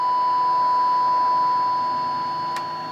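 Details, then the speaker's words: RT-834 military HF transceiver (GRC-106A set) after repair, receiving AM signal at 50% modulation with 1 kHz tone: clean steady tone, constant pitch, no crackle or hum, slowly fading; receiver demodulating properly. "So 1 kHz tone. Excellent."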